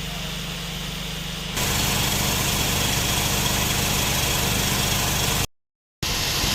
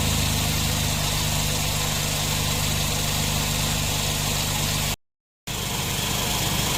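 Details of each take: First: Nissan NV van at idle, original loose A/C compressor before replacement; A/C weak, high system pressure/heat, leaks in system, cabin vent 4.6; steady idle then loud rough rattling rush as A/C kicks in — loose compressor noise. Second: Nissan NV van at idle after the customer's loose, noisy A/C compressor was replaced with a new one; compressor now runs quietly, steady even hum, no rattle, grind or clutch chatter, cycles on/off normally, cabin vent temperature 7.3 — normal compressor operation.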